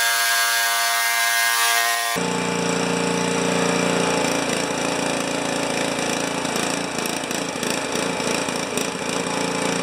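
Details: Honda HS720 snow thrower engine, fuel valve on, running out the last of the old gas: ragged, uneven note with irregular stumbles; rough running, and the drained fuel shows no water.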